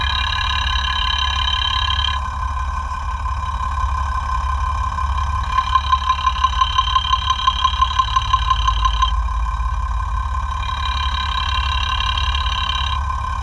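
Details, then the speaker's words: FAW truck 260hp six-cylinder diesel idling after an engine overhaul, timing retarded and tappets set, heard with a sound tester at the injection pump: a sharp regular tick about twice a second. The number one pump plunger is knocking. "तो आवाज जो है एक number की बहुत ज्यादा है जैसे कि एक पिस्टन जो है वो सेड मार रहा है टक टक टक टक इस तरह से आवाज आ रही है"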